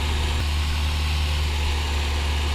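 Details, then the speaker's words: 2004 Acura RSX Type S idling at full operating temperature after radiator fan replacement (old fan motor thought to have seized from rust, water entering through vented hood); new electric cooling fan runs with an even whoosh, no rattle or scrape, normal radiator fan operation. "after I wait till the ending got the proper working temperature there you go the uh the fan is running now so"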